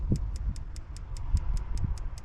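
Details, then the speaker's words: Vauxhall engine running, spark plug test on cylinders three and six: light even ticking about five a second over a low rumble, a pathetic weak spark versus strong plugs two and five; coil pack suspected unless the HT leads are at fault. "that is pathetic so you can clearly see the spark on two and five it's gone like mad but on the other to there it's pathetic so it is most likely to be the coil pack unless the leads are dodging"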